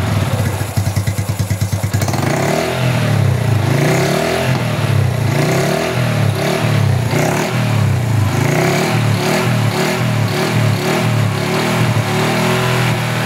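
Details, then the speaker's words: Honda Wave 110i after cam chain assembly was reworked to stop a whining timing chain: steady, even engine beat rising and settling smoothly, no rattle or slap; quiet, healthy cam chain. "ทีนี้เมื่อประกอบเสร็จสับเรียบร้อยเรามาทำการฟังเสียงดูนะครับว่ารถคันนี้เสียงเครื่องยนต์จะเป็นอย่างไรนะครับทุกท่านจะเงียบมยเมื่อเทียบกันกับโซ่ราวลิ้นแต่งนะครับ"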